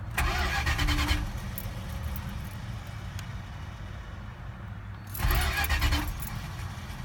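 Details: 1980 Chrysler Cordoba 318 converted from lean burn to electronic ignition, with stall and no-start issues; two bursts of starter cranking about four seconds apart, engine turns over but never catches, quiet hum between tries.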